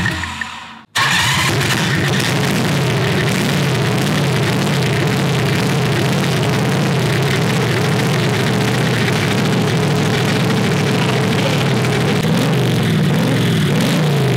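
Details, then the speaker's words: Predator 670cc V-twin dragster go-kart with new homemade header, running 95-octane Sunoco Optima: starts after a pause, settles into steady, deep, even idle with no misses, exhaust rattling a bit; normal idle. "sounds good dude definitely sounds deeper than the zoomies here i can see with the uh the exhaust is rattling a bit"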